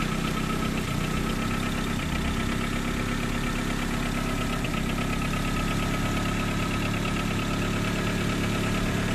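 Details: Car engine started after a DIY engine wash with battery left connected: settles into a smooth, steady idle with low even hum, no misfires or stumbling; running normally.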